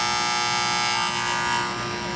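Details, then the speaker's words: HVAC unit under warranty cutting off on low pressure, ants in the contactor: loud steady harsh electrical buzz as the coil pulls in from low voltage; pitted, burnt contactor replaced, new one much quieter. "So this unit's under warranty, and it looks pretty pitted in there. It's kind of hard to see on camera, but I'm going to go ahead and just change this contactor out."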